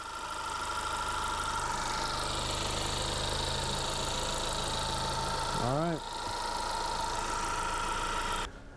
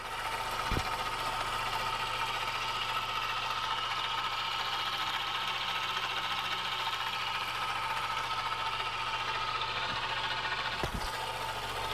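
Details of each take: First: 2017 Honda Accord after replacing the belt tensioner pulley assembly: smooth even idle with a steady hum and no squeal, chirp or rattle from the belt side; much quieter, running healthy. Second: 2017 Honda Accord 2.4L at idle: faint steady whine over quiet idle from the serpentine belt tensioner pulley, identified as the culprit; to be replaced. Worn belt tensioner pulley.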